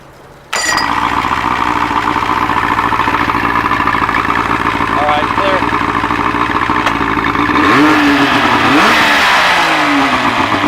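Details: OMC 3-cylinder outboard that ran poorly from water in its gas, now run on a clean shop tank: fires at once and settles into a steady, even beat of about 3.5 pulses a second; runs healthy.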